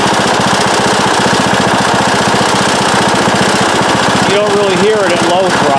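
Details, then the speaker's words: Circa-2010 Craftsman mower, Briggs & Stratton 19.5 hp single-cylinder, at medium to full throttle: fast loose tapping rattle about four beats a second, first blamed on sheet metal but found to be loose flywheel magnets; quieter at low throttle. "There's something going on in there, I think. At first I thought it was this sheet metal around the engine that was just rattling. I don't think that's it."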